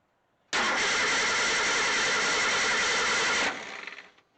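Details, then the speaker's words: 1963 Ford Econoline pickup during restoration, first crank in neutral with the clutch in, before any fuel is added: strong, even starter cranking for about three seconds; the engine turns over freely. "it's cranked over really good it sounded really good"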